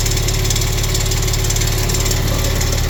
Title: Ticking sound under right side turbo 2014 Maserati Quattroporte SQ4